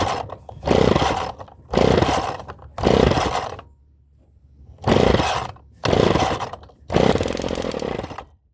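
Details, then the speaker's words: Small engine after its first rebuild, pull-start: catches and roars in short bursts about once a second then dies back, never settling; not getting fuel properly, owner suspects a carburettor float stuck open, fuel leaking. "Sounds like it's working. But it doesn't feel like it's getting fuel."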